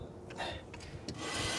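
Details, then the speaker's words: 1969 Chrysler Newport (383) after new drum brakes and wheel bearing adjustment, wheel turned by hand. Short, dry scraping rasps from light shoe contact on the drum. Normal, acceptable brake drag. "that's good that scraping is the the brakes dragging the drum which is fine"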